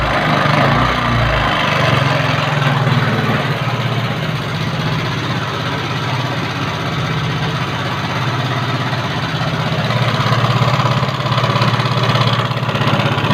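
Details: Carbureted Yamaha Mio scooter with a rough-engine complaint: steady idle with a coarse, uneven rattly edge throughout; cause not yet identified.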